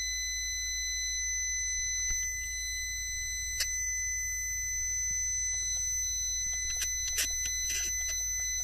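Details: Brushlesshobbies LT4-120 ESC in an RC car, failing after a week of normal running with fan lead moved to receiver auxiliary; during reprogram attempt it emits a string of high steady electronic tones with uneven rhythm; beep pattern meaning unknown.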